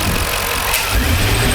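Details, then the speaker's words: 2003 Jaguar XJ8 (X308) in restricted performance mode, with knock sensor and bank 2 heated oxygen sensor codes: the revs stumble briefly on quick throttle tip-in but are fine when opened slowly; owner suspects a vacuum leak. "You hear that little right when I right when I hit the accelerator, there's a hesitation. Yeah, there's definitely there's some kind of vacuum leak or something here."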